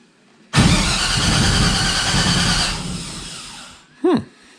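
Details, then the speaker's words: Henry J gasser that hasn't run since World of Wheels, being rewired: loud, uneven starter churn for about three seconds that never catches; the engine cranks but won't fire. Fuel pump switched off; the crew suspects no spark, unconfirmed. "Should have fired. I wonder if we're getting spark."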